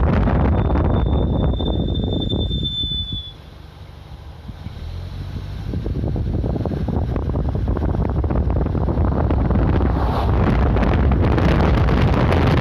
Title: скрип тормозов